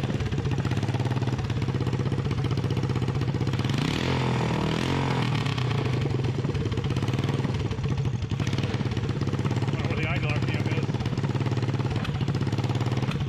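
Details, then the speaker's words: Freshly rebuilt 1988 Honda TRX200SX single-cylinder engine, out of frame, bored .020 over, new crank bearings and seals; quick even putter with brief rev blip, idles cleanly with no clatter, runs like new: normal idle. "so what do you think about this engine folks I am so happy that this thing ran I mean it runs like new now"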